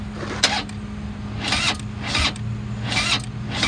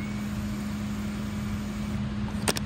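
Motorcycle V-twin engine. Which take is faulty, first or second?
first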